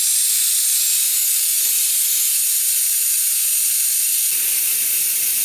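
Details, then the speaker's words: 1994 Saab 9000 air conditioning refresh, new condenser fitted, nitrogen pressure test: loud steady high hiss with no rhythm, gas escaping at a line joint; an O-ring suspected blown out. "sounds like one of the o-rings blew out that thing is going to be a pain"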